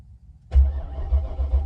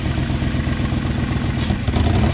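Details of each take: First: 1994 BMW 740i (E32): after quiet, the starter spins the engine in low, even chugs with no catch; a light-bulb test shows it has power but no fuel, so a fuel pump is needed. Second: 1994 BMW 740i V8 after plugging a ripped brake booster vacuum hose: idles and is blipped, the note rising and falling smoothly with no hiss or stumble. The vacuum leak is fixed and it runs clean.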